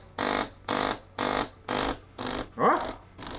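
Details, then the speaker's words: Used DeLonghi PrimaDonna Elite Exclusive coffee machine: pump buzzes in half-second bursts, labouring; water drawn through hoses but not flowing past solenoid valve, blocked by scale. "the water is taking in water through the hoses, you see, it has taken in some water, but it is not flowing any further, it is not flowing past this solenoid"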